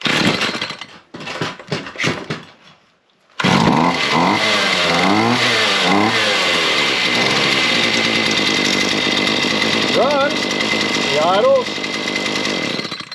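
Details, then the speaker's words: Chainsaw after repair of a fault where it would not shut off: it catches after a few pulls, settles into a steady buzzing idle with a couple of blips, then stops cleanly; normal running and shut-off. "and she dies. So, looks like we've got that one."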